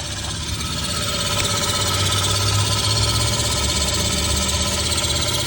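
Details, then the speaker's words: 2003 Honda Civic idling: loud rattling buzz from the exhaust right at the catalytic converter, recorded with the camera underneath; advice is to take it to an exhaust shop. "and also there is a noise that's coming directly from the exhaust and I'm going to get down with the camera so you can actually hear it I'm not going to talk CU it's very loud but it's right at the CAC converter"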